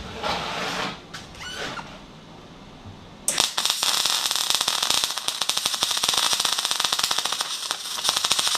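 After a quiet start, a harsh irregular crackle and spitting takes over; a MIG arc running at 150 amps on only 15 volts.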